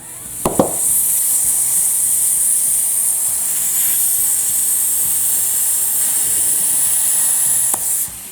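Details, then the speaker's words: Dry-rotted lawn and garden front tire fitted with an inner tube, inflating to seat the bead: steady sharp hiss as air rushes out around the valve stem, needing a tighter gauge; target about 14 psi. "you're gonna get some air that's going to rush out around the stem and you'll need a tighter gauge"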